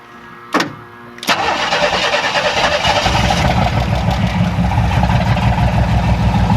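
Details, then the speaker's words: 1994 Astro van, remanufactured engine started again after rebuild, timing computer control wire disconnected at distributor, open exhaust: a couple of cranks then loud, uneven lumpy idle, running rough; oil pressure and voltage fine. "So it's going to sound rough as a cob. I only got about 15, 20, 30 seconds on this engine since the rebuild, since the first attempt to start it and run it."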